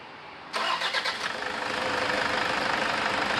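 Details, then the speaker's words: Toyota Vigo diesel, cold start just after a timing belt replacement: it catches after a short crank and idles with a high chirping squeal that fades after running a while; the worn front accessory drive belt is due for replacement. "เนี่ยหลังจากว่าเปลี่ยนสายพานไทม์มิ่งไปนะครับเอ่อที่มีเสียงร้องจิ๊บๆเนี้ยจะเป็นเสียงของสายพานหน้าเครื่องนะครับพอstartพักนึงก็จะหายไปนี้คืออาการของสายพานหน้าเครื่องหมดอายุนะครับ"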